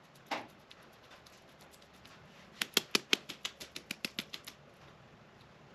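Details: Enclosed trailer wheel bearing being hand-packed with grease, hub turned by hand: dry rattling clicks, about a dozen in two seconds, rollers clattering before the grease is fully packed; new bearings and races to be fitted later.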